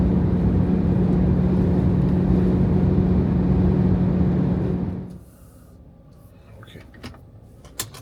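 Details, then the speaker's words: Jeep Grand Cherokee WK2 at highway speed, with a steady low hum over road and wind noise from the plastic cowl panel between hood and windshield; it appears when wind speed along the cowl reaches 70–100 mph. "this is about the cowl noise they call it cowl the plastic part between the hood and the windshield uh that is making a noise at certain speeds there"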